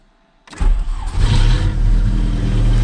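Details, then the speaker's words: Volkswagen Passat B3 with a straight-pipe exhaust and the muffler removed: engine catches after half a second and settles into a loud, deep, booming exhaust drone. "все далі гарненько завожу зараз почуєте глушаку їздив молодий хлопчина щоб ви розуміли немає банки пряма труба"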